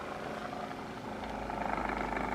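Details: Second, corded dual-head massager compared with the Hypervolt knockoff, less powerful, switchable speeds: soft, even motor buzz with a fast fluttering pulse, no rattles or knocks; running normally.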